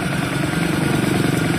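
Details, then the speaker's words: Carbureted Honda Vario scooter that died and got a new cylinder block and piston: it now runs, but with an uneven, lumpy, ragged pulsing idle instead of a smooth hum; rough running, cause not pinned down. "Motor sempat mati, diganti blok seher baru, hidup. Tapi suaranya jadi kasar kayak begini"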